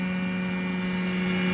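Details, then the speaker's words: Hymer Venture S 2023 motorhome; a steady, constant low hum with a thin high whine over it and no change in pitch from the prototype X Pump in the double-floor electrics compartment, loud enough to bother some people. "but now uh you can hear this noise I'm going to show you what the noise is and this might be bothersome for some people it's that there so uh so it says X Pump prototype"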